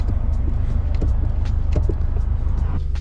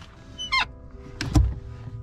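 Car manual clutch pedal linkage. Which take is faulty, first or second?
second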